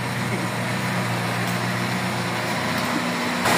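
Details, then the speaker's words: Toyota Corolla GLI 4A-FE idling with AC on: a steady rough whirring churn over the idle that stops when the AC is switched off. The AC compressor is worn and noisy inside. "Compressor nga. Sa compressor mo yan, bossing. Pagod na. Maingay yung loob ng compressor."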